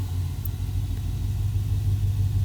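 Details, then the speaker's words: 2020 Ford F-350 Super Duty 7.3L gas V8 after new spark plugs for a slight miss: held at various rpm and returned to idle with a steady, even low rumble and no stumble or skipped beat. "Any misses either. Kind of just holding it at certain RPM ranges and listening for a stumble and then letting it go back down to idle"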